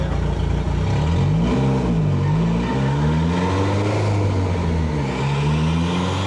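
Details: Hyundai Elantra on E85 with 1200cc injectors, fourth-gear dyno pull with reduced roller load: revs surge and wander without settling as the worn hand-me-down clutch slips, not holding its 405 lb-ft rating.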